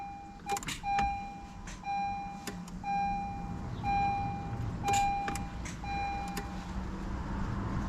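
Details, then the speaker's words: 2015 Honda CR-V AWD Touring, push-button start, brake pressed. A single sharp click per press over a dash chime, no cranking; it takes several tries before it starts. Starter later replaced: faulty starter, click no crank. "I can hear it click but it doesn't start every time it does the same thing"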